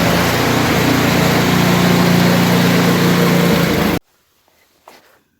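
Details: Briggs & Stratton Brute snowblower, after letting suspected water or ice dry out and starting via electric-start button: small engine holds a steady, even beat at constant speed with no misses for about four seconds, then shuts off; running normally.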